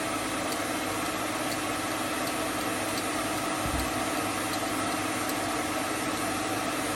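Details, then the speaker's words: Hope Woodturning MK2 thread-cutting jig on a router at about 3000 rpm, male thread in beech: steady high drone with faint regular ticks about once a second, no chatter or bogging; normal clean cutting. "je vais avancer lentement le filtage se dessine lentement j'exerce une petite pression pour le retour"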